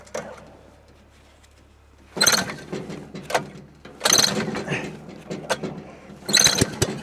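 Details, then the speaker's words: Recoil-start engine on an off-grid sawmill in winter, with a recoil in bad shape and parts just replaced after the rope broke: three hard pulls about two seconds apart, each a rattling starter burst with no firing, plus an odd sound. Cranks but won't start. "What's that sound? Holy crap, man. I'm curious why this isn't starting."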